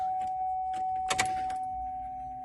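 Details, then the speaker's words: 2003 Chevy Trailblazer LTZ 4.2 I6 after rusted fuel pump replacement, key-on: steady mid-pitched electric hum for a couple of seconds under jangling keys; new fuel pump priming normally. "Let's see what we got. I hear the fuel pump. All right. Shut it back off."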